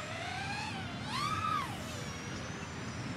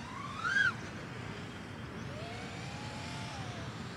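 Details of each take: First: Diatone GT-R349 3-inch micro racing drone on a 3S battery with stock PIDs, in flight: a clean motor whine rising and falling smoothly with throttle, no obvious prop vibrations. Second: Diatone GT-R349 3-inch micro racer drone: motor whine rising and falling with throttle, with a wavering oscillation buzz at full throttle. Suspected PID P gain too high, with the stock tune no good on this setup.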